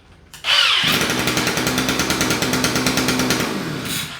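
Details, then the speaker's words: 2-stroke string trimmer with battery-only electric start, after fuel system fix, run without cutter head: fires first try, steady buzzy high-revving note, clean shutoff; normal running, though it tended to bog at higher RPM. "Dude, I'm not gonna lie, that electric start's kind of cool. Let me get down here. That electric start is really pretty cool."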